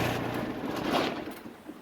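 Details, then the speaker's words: Kubota ZD28 diesel mower with original ignition switch refitted: rumble dies away smoothly after key-off with audible stop solenoid click, no run-on; normal shutdown, unlike the faulty replacement switch. "hear that click that's the stop solenoid doing its job which the other switch does not do"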